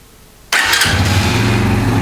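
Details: Brixton motorcycle started right after its error codes were erased over the K-line with a cheap OBD tool: silence, then the starter catches and the engine settles into a steady, even idle with no misfire; malfunction light gone, clean start.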